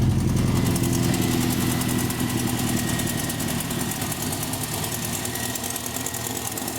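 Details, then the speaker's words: Rover SD1 under restoration, after temporarily patching a leaking top coolant hose: engine settles from a fast start into a steady, even idle with no knocks or misses; sounds better than before. "Well, that sounds a bit better, doesn't it?"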